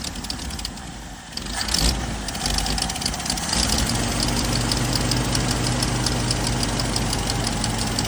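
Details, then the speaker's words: 1979 Jeep CJ5 that sat since 2019, running on stale, foul-smelling tank fuel, mechanical pump filling the filter: catches after a stumble into an uneven, loping idle with irregular misses; rough idle. "yeah it's running pretty crappy so go ahead and let us see if can Sho on this jeel for a little bit see what it does give it a"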